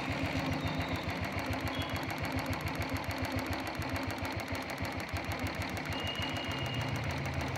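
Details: Royal Enfield Thunderbird 350 single-cylinder with starting problem and misfire, idling at roughly three beats a second with uneven, stumbling firing; spark checked fine, misfire traced to carburettor butterfly, fixed by replacing it.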